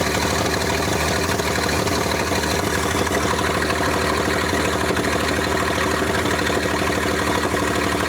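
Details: 1947 International KB3 fuel truck, previously locked up, first run after 30 years and an engine rebuild: even, steady idle with a smooth low throb and no knocks or misses; normal idle.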